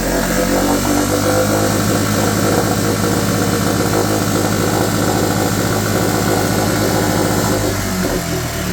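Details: Mercury/Tohatsu 4hp four-stroke outboard in a bucket, after carb cleaning and fresh petrol for a no-start, on choke: loud, even, fast putter at steady speed with no misses, knocks or rattles; normal running.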